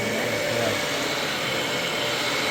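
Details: Dyson vacuum after maintenance and reassembly, brush roller confirmed working: steady high-pitched whir with even hum, no rattles or dips; sounds healthy.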